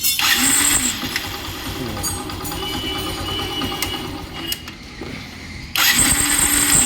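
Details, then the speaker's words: Saluto bike electric starter: sharp whirring grind with high rough whine each press of the self-start, dropping away between presses; starter bearing grease fully dried out from heat, bearing to be serviced. "স্যালোটের গাড়িটার প্রবলেমটা ছিল self মারলে যে আওয়াজটা শোনালাম, তো এই আওয়াজটা সেলফ মারলে হচ্ছে। তো কেন হচ্ছে সেলফের এই আওয়াজটা, চলো দেখে নেওয়া যাক। এই যে বিয়ারিংটা দেখছো, বিয়ারিংটা যে গ্রিস থাকে, গ্রিসটা পুরো শুকিয়ে গেছে হিটে।"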